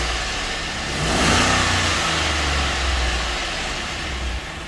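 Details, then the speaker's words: Chevy Avalanche 5.3 AFM/DOD after lifter release trick, fuel primed: revs with a rough, clattery, ticking top end and slight stumble; noisy with a skip, owner suspects lifters and cam. "Yeah, she's still noisy. It does have a little skip to it. Oh yeah, she sounds like junk. She is pretty rough."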